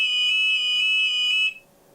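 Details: Rapid Response adjustable engine overheat alarm on a boat, 1.5 m stainless sensor on top of the exhaust hose, triggered during setup with the engine run up to temperature at full speed: shrill steady high-pitched warbling tone, then cut off.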